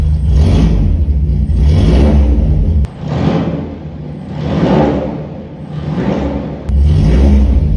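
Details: VW Gol G1 with a cold engine, revved lightly a few times: a deep booming drone swells and falls with each rev. The exhaust is far too loud and probably has only one muffler chamber.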